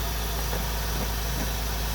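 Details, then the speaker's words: Honda Integra classic car idling right after replacing the failed ignition coil, first start the next day: deep, even idle with a steady low rumble, no misses or knocks; purring like a kitten again, running healthy. "Woohoo! purring like a kitten again. I'm gonna go for a ride."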